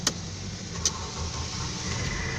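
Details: Mercedes C300 4Matic with aftermarket smart key starter, which wouldn't restart until a battery terminal was removed and refitted, after repair; two quick starter chirps, then the engine catches and settles into a steady even idle.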